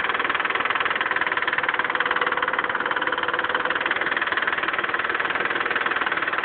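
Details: Mitsubishi 3000GT idling: fast, even ticking about four a second over steady idle; owner suspects lifter tick, with seemingly no oil reaching the left lifter and too much oil at the cam end on the right.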